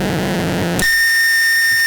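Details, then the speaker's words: Cheap unregulated wall adapter not meant for pedals, powering guitar pedals in a noise test: steady low hum under loud hiss, then shrill high-pitched whistles. Adapter feeds hum and hiss noise into the pedals. "here's the last one the one that is not meant for paddles but you will find plenty of adapters like these in music stores around the world these noisy"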